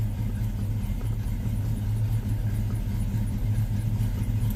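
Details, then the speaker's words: Engine fitted with a big-block starter, its lifters sometimes tick and have previously stuck: a steady, deep idle with an even exhaust beat and no top-end tick now. Normal idle. "Lifters are actually cooperating nicely. This thing runs so good."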